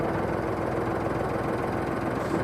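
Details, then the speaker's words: 1966 Ford 4400 industrial tractor, revived after sitting abandoned in a field; busy rapid ticking clatter over rough steady idle; owner says valves obviously need adjusting: valve train rattle, suspected loose valve lash; also not charging. "Man, that thing sounds better than many cars. It's obvious the valves need adjusting. I can hear them rattling in there."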